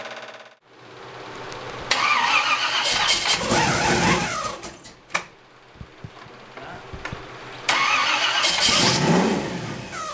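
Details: Brand-new stock crate 350 small-block Chevy with Comp Mutha Thumpr cam in a hot rod with Turbo 350 transmission, first start: starter cranks, catches, revs in bursts, settles to choppy lumpy idle; healthy.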